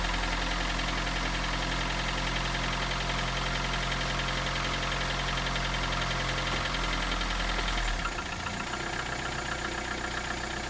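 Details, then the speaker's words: 1991 Toyota Camry idling with the microphone in the engine compartment and the hood closed. A steady, fairly regular knock, about four taps a second; owner unsure whether it is bottom-end rod knock or top-end valve noise. "The question today is is that engine noise on the bottom end like a rod knock or is a noise on the top end more in the valve area?"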